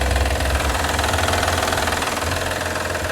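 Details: 2012 Honda Odyssey 3.5 L V6: steady metallic rattle at idle, about three taps a second, heard up top like valves or rods; actually a defective timing belt tensioner, with timing belt replacement planned.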